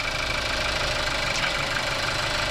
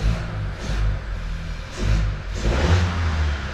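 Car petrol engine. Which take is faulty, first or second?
first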